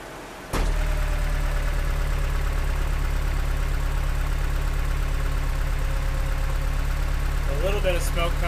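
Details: Truck named Samantha, started after adding Sea Foam, with a vacuum leak, spark issue or clogged injector suspected: a deep, lumpy idle with a slightly uneven beat; rough idle.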